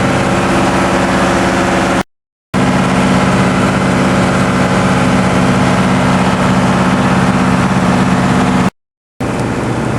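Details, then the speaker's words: TDME 490 58 hp marine diesel with 3:1 hydraulic gearbox, newly fitted to a motor boat in place of a 4Ch 8.5/11, not yet run in, on sea trials: 2000 rpm, speed 11, cutting waves. Steady, even drone, smooth regular firing with no knocks or misses. Normal running under load. "так мы режем волну на 2000. Такой у нас элеватор."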